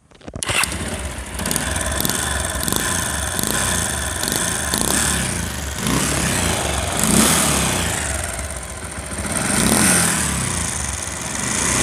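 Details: Very old Bajaj Pulsar single-cylinder motorcycle: starts and runs with busy metallic chatter over the exhaust, bad engine sound; piston rings still fine, caused by worn rocker arm washers and timing chain noise, before repair.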